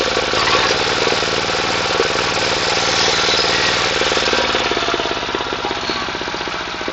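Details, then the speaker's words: Water pump's small single-cylinder 11.25 engine after repair: damaged regulator gear repaired, neglected oil changed, pipe renewed; fast even chugging beat, steady without misfires or stumbling; running healthily. "Xudo xolisa moylarni alishtirib, moyi yaxshi qaralmagan ekan. Shular bilan to'g'irlab yurg'izib qo'ydik."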